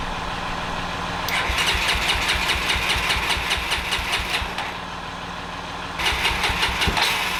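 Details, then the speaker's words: 1989 Honda NX250 after carburetor work, choked start: engine catches and revs up and down unevenly on its own, surging twice instead of settling; erratic high idle, suspected air leak at the carb, fuel pump replacement still pending. "Maybe that's the only issue and there's enough air getting in there that it's just causing the engine to rev crazy every time that that cracks a little bit."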